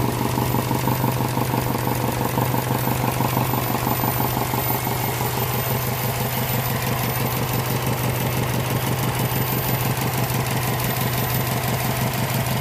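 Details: Subaru engine at idle: a sharp, even knock about twice a second over the engine note, coming from inside the engine; cause unknown.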